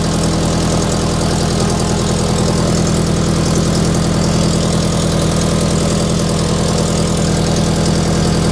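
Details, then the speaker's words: Toyota FRS with unequal-length aftermarket header idling with a rapid, raspy puffing tick in time with firing, an exhaust leak at the header gasket, louder outside than in the cabin. "e got a pretty gnarly exhaust leak uh inside the cabin it doesn't sound all that bad but my wife drove it down the street and you could hear it it sounds awful"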